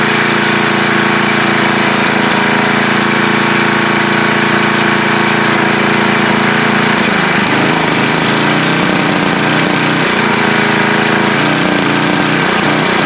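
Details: Coleman Powermate MAXA 5000 ER generator after the new carburetor's needle was fitted to the old carburetor and the mixture leaned out: steady buzzing engine note, one speed dip, then smooth and constant. Runs properly, minor issues remain.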